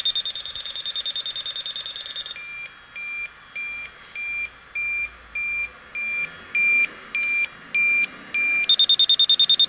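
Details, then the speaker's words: Electronic leak detector at the coil of a York rooftop unit with a refrigerant leak, in wind: fast ticking jumps to a steady high double-tone alarm about twice a second, then drops back. The leak is in the coil, probably more on the back side. "So our leak's right in there. Probably on the back side more."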